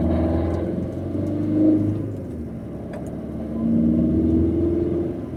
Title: Corsa D - Turbo failure